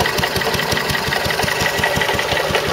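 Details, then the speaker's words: Stuart Turner water pump run with the Wolseley WD2; sharp, regular knock about every quarter second over the small engine's steady run, caused by a failed big end bearing, later replaced. "the pump's knocking. I'm going to stop it in a moment and find out why."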